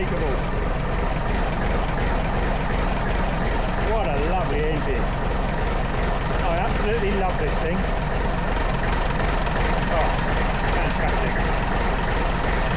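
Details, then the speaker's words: Lansing Bagnall Model A tug with a Perkins P4 diesel, running again after sitting for a long time: a steady, even four-cylinder chug, with a second engine idling in the background; the owner suspects leaking injectors because smoke comes from around them. "I'm absolutely chuffed two bits fantastic the Lancing bagal runs again brilliant"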